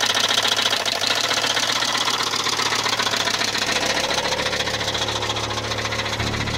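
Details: Volvo 850 Platinum turbo petrol engine at idle: steady fast knock, about three or four a second, from a worn connecting rod bearing, not the cams.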